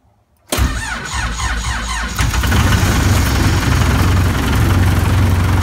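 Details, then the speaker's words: Cummins 4BT with P-pump in a Scout, cold start at 1°F after two grid heaters were run for 15 seconds: short crank, then it catches at once and settles into a steady, clattery idle with little smoke; normal diesel cold start. "There we go. Easy way to start. Not too much smoke. Let it warm up a minute, but that's it. Grid heaters are awesome. 1 degree, fired right up."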